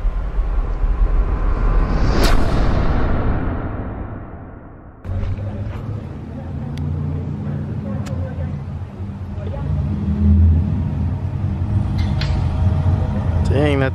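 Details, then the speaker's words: Cammed V8, shown as a preview of how the LS3 Corvette will sound after its cam swap: deep lumpy V8 burble with a choppy idle and sharp throttle blips rising and falling, a strong, healthy cammed engine. "that thing sounds good. Well, that's what this is going to be sounding like when it's all done."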